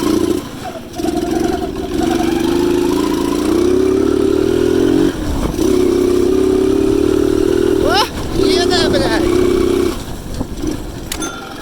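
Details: Delta Alpha moped engine after cylinder replacement. Before, it choked, misfired, lost power, smoked, wouldn't hold idle and had ringing and knocking. Now it runs and revs cleanly with a steady, even note, no knock, no smoke: normal running.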